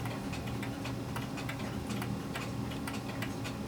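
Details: Clock whose beat is being adjusted by bending: tick and tock fall at slightly unequal intervals over a steady hum, a limping rhythm; it is still a little out of beat but getting close.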